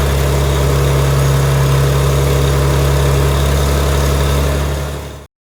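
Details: Tractor (806) that stalled on rough ground from tank debris covering the fuel inlet, after clearing it with compressed air through the sediment bowl and petcock: a steady, even low thump at smooth idle, no stumbling or surging.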